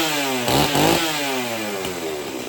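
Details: Heavy chainsaw, choked and started; it revs high and clean, then settles smoothly as the throttle eases, no misfire or stutter; normal running.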